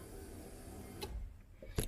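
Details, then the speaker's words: 1980 El Camino, 5.3 Vortec LS swap with T5, after replacing a blown 10 amp fuel pump fuse: soft electric buzz at key-on under a low rumble, then sharp relay clicks; fuel pump priming normally. "give it a little first start there you go hear the fuel pump priming up"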